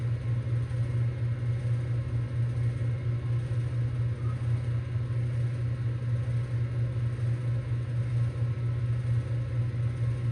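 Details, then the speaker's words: 2024 Bryant heat pump in heating mode, about one minute after first start: a steady low compressor growl under an even hum, with rattling that is partly dampening; the owner wonders if something is loose inside, cause unclear. "It's still growling though. Is all this bro loose inside?"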